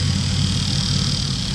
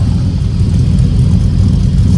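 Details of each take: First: Truck at idle: thin, loud high-pitched whine riding constantly over the engine, new since an incident that damaged the truck; the alternator is suspected as the source, not confirmed. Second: Truck moved after a lug-nut overtightening incident, owner noting a new loud noise that seems to come from the alternator: steady, even low rumble with no knocks or ticks standing out; engine runs smoothly.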